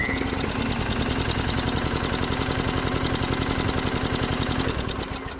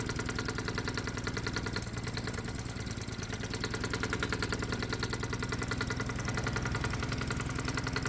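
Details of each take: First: Hot-bulb semi-diesel converted lawnmower engine, compression test after about 8 hours of alternative-fuel use: steady, even chuffing at about four beats a second while cranking, every stroke equally strong; gauge reads 125 psi, unchanged, healthy compression. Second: Low-compression gasoline lawnmower engine in hot-bulb semi-diesel mode, on 100% diesel with the spark plug disconnected and the stack torch-heated: single-cylinder thumping near 200 a minute with an uneven, stumbling beat; rough running at light load.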